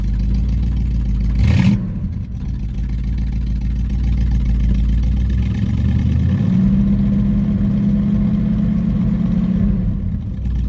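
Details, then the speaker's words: 1969 Buick GS 350 V8 after fuel filter change, previously boggy with no power off pedal: deep idle then clean, steady rise in revs without stumbling, pulling crisply: normal throttle response. "I can already tell it's going pretty good on it so far"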